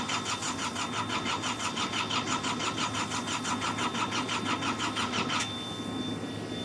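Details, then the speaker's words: Hitachi EX55UR excavator, sat a year with broken boom; starter churns about three compression pulses a second for five seconds without catching, then stops; crew feels it wants to start, will give it more tomorrow. "wants to mhm I can feel she wants to just got to give her some more florl tomorrow"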